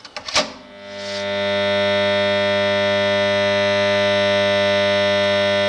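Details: Mains-powered 40 A magnetic starter/contactor: a few sharp clicks, then loud steady buzz; intermittently louder, blamed on dirty magnet core faces, to be cleaned and compared afterward.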